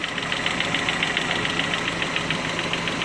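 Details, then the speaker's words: Mazda Miata 1.6 with 205–210 psi compression across the board, idling: a light, even ticking about 3–4 a second from the hydraulic lash adjusters, harmless and normal. "Those are the HLAs. So like I said, there's nothing wrong. They all do it."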